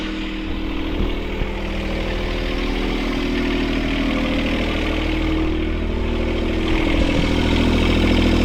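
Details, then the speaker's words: Sailboat port diesel after repairing all four engine mounts snapped by a log strike. Steady, fast idle with no hunting, way too high; the engine jumped forward 3-4 cm and bent the throttle cable bracket, so the idle needs adjusting. "when the mounts broke, it actually bent that bracket, and so now it's just a matter of adjusting the idle, because you can hear it's idling way too high."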